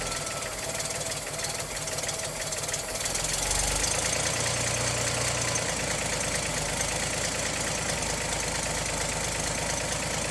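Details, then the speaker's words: 1959 GMC old six-cylinder truck after exhaust manifold work, fuel pump now pumping, idled down low: slow, steady chuffing pulses at very low idle, even and unbroken with no hiss of a leak; healthy idle. "Oh, that sounds so much better The fuel pump is now pumping"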